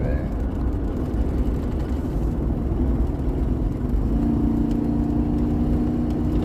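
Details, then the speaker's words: Ford truck driving with the check engine light blinking: a choppy, uneven low rumble with a ticking stumble, described as a pretty bad misfire. Engine misfire. "I hear it. Yeah, that's a misfire."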